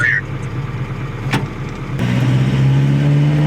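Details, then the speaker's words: Cheap used car bought for $3000, pulling away at the start of a road trip: a rough, rattly engine note builds under load with faint knocking. Driver suspects spark knock. "oh man I love it already we're going to find out what it's is's God man do you hear that that engine carrying on up there oh yeah oh that doesn't sound good I'm I'm going to just go ahead and say that's that's a little bit of spark [Music] knock"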